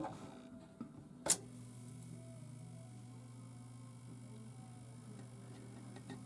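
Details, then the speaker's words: Atari Asteroids arcade vector monitor just powered on: steady low hum with faint irregular ticking and a sharp click that changes as the screen changes, vector deflection chatter; X/Y outputs unverified. "got vector chatter do you hear the little like kind of high voltage sound i mean not high voltage sound but like clicking sound and how it just changed it's because the screen changed"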